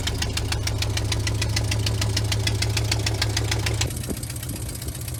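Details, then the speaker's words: Vintage C30 RV V8 at idle after exhaust manifold gasket replacement. Steady rapid knock about three per second over the low rumble; rough knocking idle. A bad valve pulling air back in is suspected. "when you put the paper up there if it ever sucks it back in it's a bad valve because it's it's not able to to gas it that cylinder is literally pulling air back in"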